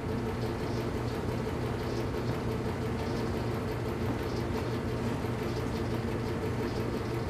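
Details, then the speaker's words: Belt-driven air compressor on a scrap-saved single-phase motor at 240 V, after the crossed capacitor wiring (start cap fitted in place of run cap) was fixed. Even steady pumping drone with a low smooth beat, no knocks or squeals; current draw falls as compressor oil warms. "you notice how the current draw went down as it ran? Part of that's because that compressor oil warms up and there's less you know, losses in the compressor mechanically as the oil gets warm."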